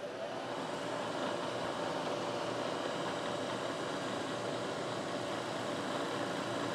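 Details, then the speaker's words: Bridgeport manual milling machine taking a cut off one side of a part: steady, even hiss with no squeal or pulsing ring, chips flying; smooth, chatter-free cut, nice and steady. "it sounds good you don't hear chatter real nice Cut nice and steady"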